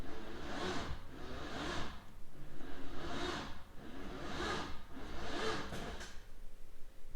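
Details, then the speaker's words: Freshly built LS3 swapped into a C6 Corvette, first start attempt: slow, heavy cranking in drawn-out pulses about one per second that never catches. The engine sounds very tight, bearings suspected too tight; no start. "We're back down at the garage, and I cut off that part of the clip because as you heard, it didn't start. The engine sounds really, really tight,"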